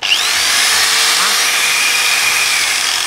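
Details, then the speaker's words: Hand angle grinder after repair of a no-power fault caused by a broken, burnt power cord: a high, steady, even whine from switch-on with no stutter or cutting out. Running normally. "hoạt động rồi tốt nha các bạn."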